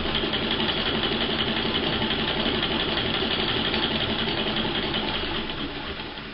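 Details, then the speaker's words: Vintage hand-cranked sewing machine after cleaning and oiling: steady quick clatter with light rattle from loose top of crank handle where it engages the wheel; works fine. "the little rattle you can hear is from the top part of the handle where it engages with the wheel all I have to do there is put a little bit of cloth around it and that will stop that rattle"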